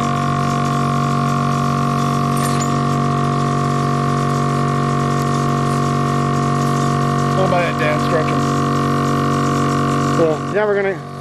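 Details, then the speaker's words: Steam locomotive air compressor recharging the main reservoir after an emergency brake application: steady constant-pitch droning hum with brief air squeals near the end; normal compressor operation. "Of course, now we lost a lot of the main reservoir, and that's why you hear the air compressor running."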